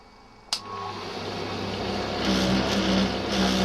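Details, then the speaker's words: Faulty tumble dryer, second engineer visit pending: a click, then a loud, dreadful steady rumble builds as the drum spins up and holds, beyond normal dryer noise; rumbling noise, cause not pinned down. "can hear a rumbling noise. There it was. Obviously this is not right."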